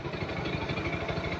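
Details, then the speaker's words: 2022 Kawasaki NS160 FI after repair of a fluctuating idle: an even, regular idle thump with no rise and fall in speed; the idle holds steady and healthy. "So hindi na siya pag-op pagbabago na."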